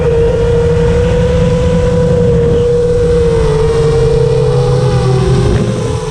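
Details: FR7 quad after tuning, with DMIN removed because it caused raspy motor noise, I-term relax cutoff 10 and RPM filter on: clean, steady hum near 500 Hz with no rasp or roughness; motors sound healthy.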